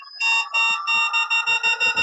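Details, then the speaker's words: Begode ET Max electric unicycle on a stand, free-spin power alarm test held at about 85 and 80: clear high-pitched beeps, long then shorter and faster as load rises; progressive PWM alarm works properly, wheel did not cut out. "85 so 80 okay so you hear the progressiveness of my of my helmet beats"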